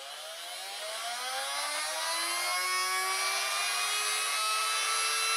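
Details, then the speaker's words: Small homemade open DC motor on 9 volts with a borrowed brush assembly gives a thin high whir that climbs slowly and levels off; it runs slow because of a weak magnet underneath, which is to be replaced. "this motor has got a weak magnet on the bottom so I'm going to use this to speed to speed it up this is how quick it goes"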